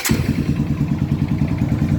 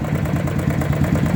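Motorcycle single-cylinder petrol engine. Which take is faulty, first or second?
second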